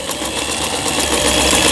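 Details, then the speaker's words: 2003 Janome-made Lion Tulip (639) mechanical sewing machine, after repair of feed regulating cam fault and LED lamp swap: fast, even light needle clatter, no knocks or catches; three-step zigzag and other stitches sewing normally. "그 다음에 세발뜨기 바느질, 각종 기능들 정상적으로 박음질이 잘 되고 있습니다."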